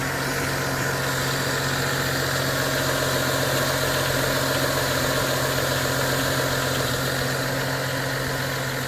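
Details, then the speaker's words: 2011 BMW 335i E90, N55 engine, after replacing the accessory belts and pulleys and reseating one pulley: a steady even idle with no chirp or squeal, and the earlier noise is gone. "everything works the engine did not explode"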